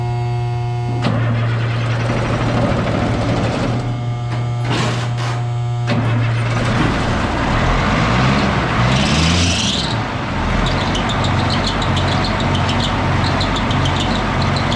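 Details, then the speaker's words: M35A2 deuce multifuel diesel, previously hard-starting and short on power, after recheck and repair: fires and settles into a steady, even low rumble with no misses or knocks; night and day better. "But that thing sounds great now. It's a night and day difference."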